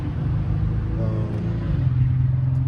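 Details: 2010 Mercedes C300 V6 with code P0306, cylinder six misfire: low idle with slightly uneven throb, attributed to a failing ignition coil.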